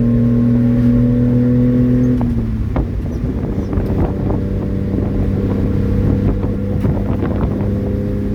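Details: 1994 Honda Acty 4x4 truck, 660cc three-cylinder gasoline, 5-speed manual, 114k km: loud, raspy, puffing exhaust note from a leak just ahead of the muffler; exhaust leak before muffler.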